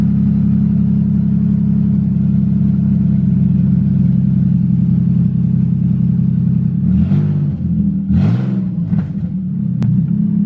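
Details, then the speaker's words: Budget Nissan 350Z drift car, first start with a jump-started dead battery, open headers with test pipes removed: deep, loud exhaust drone swelling with each rev and a sharp backfire crack near the end. "let's see if it starts it's open headed right now test pipes are on the roof actually"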